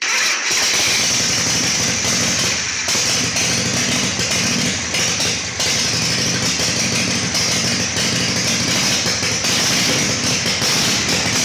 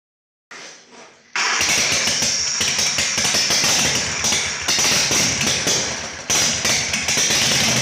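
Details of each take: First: Harley Shovelhead chopper with Motogadget M-Unit, new battery, solenoid rewired: catches within half a second and settles into a steady, even V-twin idle on choke, no misfires; normal start and idle. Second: Harley Shovelhead chopper V-twin after new battery, solenoid rewiring and ground fix, engine hot during carb adjustment; fires after short crank, then loose lumpy beat with uneven surges and dips; owner suspects it needs jetting: rough running.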